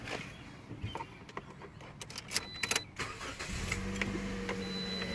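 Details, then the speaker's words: 2018 Chrysler Pacifica with a dead battery, after about a minute of jump-starting from a Toyota Corolla: a few clicks, then the engine catches at once and settles into a smooth, steady idle; a clean, healthy start. "Yeah, it's working right now. You can look at sound."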